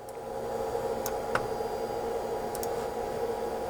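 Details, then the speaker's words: 3D printer starting its heat-up before a PLA print: a constant whirring hum with a couple of steady tones and faint ticks, which comes from a faulty cooling fan; the owner expects the noise to pass once it has warmed up. "J'ai un ventilateur qui est en trouble, alors c'est pour ça le drôle de bruit, mais il va réchauffer puis ça va passer."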